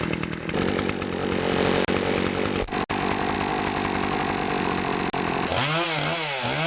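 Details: Poulan Pro two-stroke chainsaw after fixing a clogged air filter and sharpening the chain: strong steady buzz at high revs, then clean rising and falling revs; normal running.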